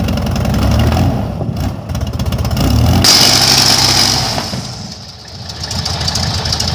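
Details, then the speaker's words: Airboat at first fire after sitting, warming up: uneven note surging and sagging every few seconds, rough running. Flame out on throttle lift-off; carburetor bottom leaking; owner suspects a dirty bowl or a carb needing rebuild. "alright guys well I might have a little I might have a little carb issue I don't know"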